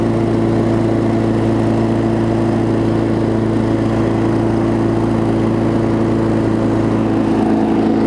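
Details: 22-inch push mower, a few years old and a little worn, spring bent slightly to run a touch faster: even, steady drone at constant speed with no misses, knocks or surging; normal running.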